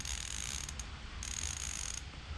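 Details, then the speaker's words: New Koozer XM 490 rear mountain bike hub, 72 points of engagement, spun before lacing into a 32-hole wheel, replacing a 15-POE hub: fine, fast, even clicking buzz while spinning and coasting; crisp, healthy freehub ratchet. "So here's the new hub. It's a Koozer mountain bike hub, XM 490 rear with 72 points of engagement."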